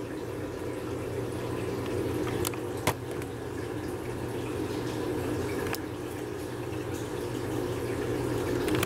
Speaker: ela iniciou a drenagem desse primeiro enx pessoal display marcando 29